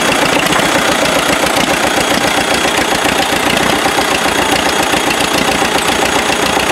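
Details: Freshly rebuilt MD tractor engine, stuck for about 40 years; rough, stumbling diesel idle near 220 beats a minute, bouncing between two and three firing cylinders; misfire cause not yet found.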